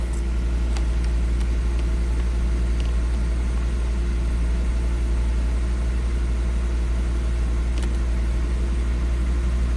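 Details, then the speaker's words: 2005 Volvo XC90 Turbo, 80k miles, after clearing trouble codes, just started: steady even low rumble, no knocks, misses or surges; normal idle. "all right here we go key off key on okay normal start up let's go in the ECM"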